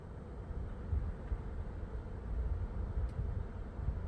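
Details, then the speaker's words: Van mini split air conditioner on extension cord, powered by new inverter and batteries at 14.5-14.6 V, set to turbo, its highest setting: steady low rumble and air rush without rattles or surges; normal operation at full fan speed. "And away it goes. And if I turn it on turbo, which is the highest setting it can do,"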